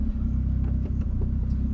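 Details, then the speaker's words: 1989 Toyota Corolla small body at idle: choppy, stumbling misfire with uneven pulses, owner suspects electrical problem; mechanic's verdict is a loose-contact ESC box connection, fix is tightening its connectors. "meron pa din eh no meron pa din guys may ano may parang may parang may plema parang kumbaga sa lalamunan hindi smooth yung daluyan nung kung ano"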